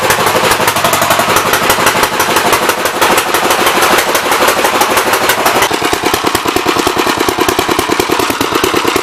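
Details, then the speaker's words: 1964 L Gravely engine: rough, uneven popping run with irregular loud bangs, over-rich mixture flooding; main jet needle can't be adjusted, stuck to packing nut. "Sounds like it's flooding to me, but I can't adjust the mains yet, so. It's definitely flooding."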